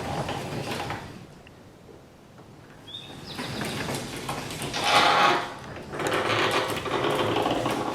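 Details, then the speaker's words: Garage door worked by hand after lubrication: short high creak with rattling panels and rollers, owner suspects one dry hinge, later sprayed with more lubricant. "oh i'm hearing a little bit of a creek which hinge was that i think it was this one let's see i think it was this one maybe"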